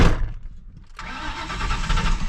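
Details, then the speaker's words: Ford Mustang that wouldn't start after heater matrix replacement; after cleaning negative battery terminal it spins over on the starter with low uneven churn but never runs on its own; crank, no start, cause unknown. "so it's starting now but why why is it not [ __ ] running"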